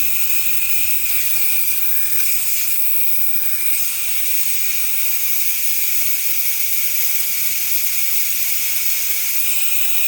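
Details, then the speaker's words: 2018 Audi A8L on jacks during air suspension compressor and valve block replacement. A loud, steady, high hiss as an air line is opened and the bag deflates, lowering the car. "Wow. I can feel the car coming down. I do have jacks on it. That is a lot of air."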